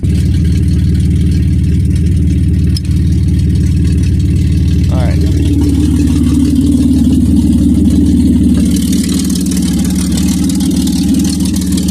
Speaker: Listen to that monster. Definitely got some valve covers leaking. You can see it smoking a little bit right there. You can hear it not being happy about the val or the exhaust being off of it.